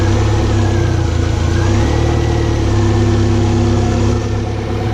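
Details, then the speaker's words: 2014 Mercury 115 four-stroke outboard after low-pressure lift fuel pump repair, in gear (drops about two cylinders at neutral idle): steady even low idle, no misses or knocks, running on all four cylinders. "kick it in gear so that way it runs on all four cylinder when it's a that idle it drops about two cylinder"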